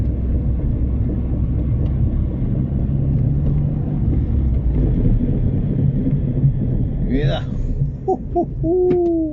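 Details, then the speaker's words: R56 Mini Cooper S driven slowly after the Christmas lay-up, front discs cleaned with a Scotch-Brite disc: low road rumble, then wavering squeals and scraping as it slows, ridges seen on the disc; brake grinding from surface rust. "I can hear the breaks there or they're probably the worst I've ever heard him after a period of uh"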